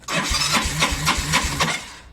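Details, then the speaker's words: Yamaha Mio 125 scooter with hard starting, fast-draining battery, self-revving and coolant loss: electric starter churns in quick even pulses about two seconds with no firing; won't start, not like a weak battery; cause unknown. "สตาร์ทแล้วเป็นลักษณะนี้ครับผมนี่ฮะนี่ครับไม่ติดแบบนี้ครับขอสตาร์ทอีกทีครับมันไม่ยอมไอมันไม่เหมือนแบตอ่อนครับผม"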